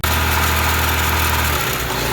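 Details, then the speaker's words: Honda Civic petrol engine at idle: steady drone with a high idle that begins to hunt and surge. Vacuum leaks, including at the injector seals, are suspected; cause not confirmed. "So you can hear that the idle is high, and now it's starting to hunt and surge."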